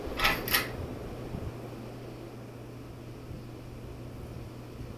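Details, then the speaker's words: Ceiling fan, not capacitor controlled, on medium speed: only a faint steady low hum with no rattles or ticking; running quietly and smoothly. "very quiet on medium. And this is not capacitor controlled? Nope. That's surprising then how quiet it is."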